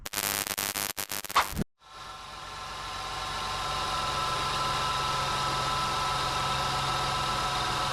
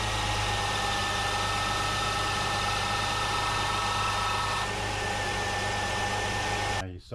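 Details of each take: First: 2002-2005 Jeep Liberty with A/C short cycling, jumped, engine idling with A/C on: constant compressor hum that never cycles off, clutch stays engaged; compressor and clutch good, low refrigerant pressure indicated. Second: 2002-2005 Jeep Liberty at idle with A/C on: engine tone shifts as compressor clutch cycles on and off too often; low refrigerant via low pressure sensor is most common cause; A/C compressor clutch short cycling.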